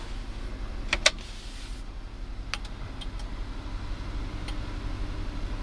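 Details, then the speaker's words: 2007 Toyota Sequoia SR5 after repair for hard 4WD engagement and disengagement: a few crisp relay clicks from behind the glove box over a steady idle. The 4WD actuator relays now switch normally; before, the indicator just flashed and nothing engaged. "Can also listen to the relays. I'll be quiet, clicking off the relays which are in charge of engaging that."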